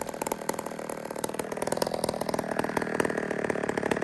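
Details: Old 150 chainsaw made in Toronto, Canada, after carburetor work: quick, even popping from the little two-stroke, firing steadily with no stumbles; normal smooth idle.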